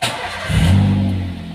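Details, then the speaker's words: Older Daihatsu Xenia / Toyota Avanza after code 71 (ISC) connector found unlocked and reseated, engine still cold: quick crank, catches at once, short rev, then eases toward an even idle about 1,000 rpm; normal cold start. "Alhamdulillah lihat nyala ya tuh sudah ini masih dingin ya ini baru saya hidupkan nih"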